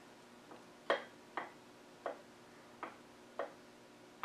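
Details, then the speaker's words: Salisbury axle during setup, crownwheel rocked by hand with a dial gauge zeroed; about seven sharp metallic clicks in four seconds in a quiet room, pinion possibly slightly loose: excessive crownwheel backlash. "next we're going to look for backlash and turn this a little bit so you can perhaps see our backlash going on here"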